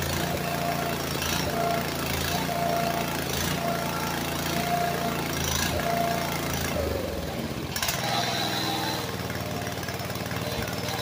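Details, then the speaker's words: Walk-behind brush cutter that sank in a pond and was dragged out by tractor, with water likely still in the carb and fuel: ragged, surging note that sags and stumbles, won't idle; owner suspects torn-up linkage limits throw, cause unconfirmed. "well it won't idle great because I think I've got this this is all jacked up in here from being torn up so I'm not getting the throw I need"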